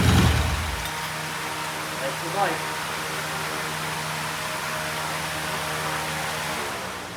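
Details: 1968 BSA motorcycle, cold start after new rear shocks were fitted: steady, even idle with a consistent beat, no knocking or misfires; sounds healthy.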